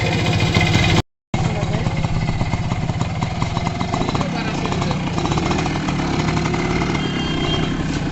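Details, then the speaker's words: H100S motorcycle single after repair (new original stator coil fitted, carburettor fixed and adjusted): a firm, steady beat with no skipped pulses or stumbles; the misfire is gone. "বাইকের misfire নেই, বাইকের যে misfire করতেছিল আমরা coil লাগাইছিলাম, যেহেতু বাধা coil ছিল এর কারণে কিন্তু আমরা অরিজিনাল একটা নতুন কয়েল লাগিয়ে দিয়েছি।"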